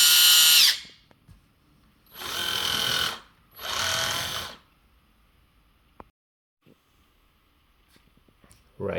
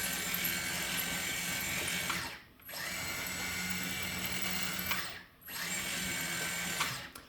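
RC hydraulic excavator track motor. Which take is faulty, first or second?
first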